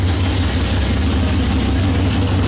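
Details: '55 Chevy hot rod, 454 big-block, 14.5:1 compression, iron heads, 5500 stall, run after sitting 25 years, idle not yet set: deep, loud slightly choppy big-cam idle, steady without knocks; healthy.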